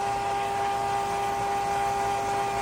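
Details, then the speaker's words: Cuisinart 2-quart frozen yogurt and ice cream maker, about 30 minutes into a batch: a steady, fairly loud motor hum with a constant mid tone and no knocks or grinding. It is running normally, though the owner finds it noisy. "I just wish it was less noisy. You can actually hear it. So this is what it sounds like when it's going, and that's what it sounds like when it goes off."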